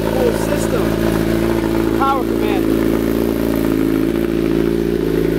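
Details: 2008 Kawasaki ZX10 after replacing the starter solenoid (bike had been cutting off after running and sometimes not restarting), first start: engine catches and settles into a steady, even idle with no misses or knocks; sounds healthy.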